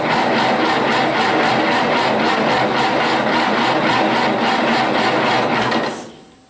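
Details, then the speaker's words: Massey Harris 81 tractor, sitting about 15 years, new battery, spark confirmed, in neutral: steady starter churn about two turns a second for six seconds, never fires; cranks but no start. "so all right with some starting fluid and if that doesn't make her pop then we're going to go to check and spark"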